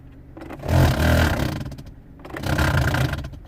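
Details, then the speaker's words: Peugeot 107 cabin blower not working, switched on before repair: two rising rough roaring bursts with scraping clatter as the fan tries to turn but catches; obstructed blower motor. "when I turn it on something tried to turn but it's like if it's catching somewhere"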